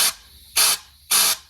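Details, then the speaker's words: 68RFE transmission at 30 PSI, low reverse port: three sharp air hisses with no clutch apply thump, air bypassing; piston seals or a check valve suspected; air bypass during clutch air test. "Nothing. The air is just bypassing. You should be able to see these clutches engage when you do it."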